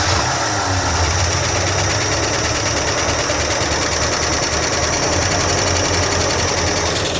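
Rough idle with a fast, busy metallic clatter up top throughout, typical of dry lifters ticking when oil isn't reaching the valvetrain. Cause suspected, not confirmed.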